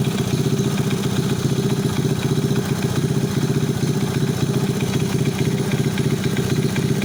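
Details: Alfa 110 engine after new cylinder head, full piston/cylinder group, timing chain and hydraulic tensioner, complete clutch: steady idle with hard regular knock about four per second over exhaust beat; engine knock, source unidentified.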